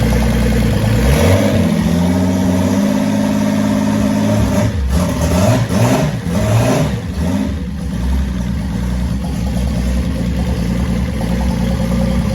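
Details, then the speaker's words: Datsun 280ZX L28ET cold start during a health check before removal, with compression around 124 and an oil gauge on the sender port reading 50 psi. Quick crank catches into a steady, low, even idle with no knocks or misses; a reasonably healthy engine. "I think that's That alone is enough information to know that this is a reasonably healthy engine."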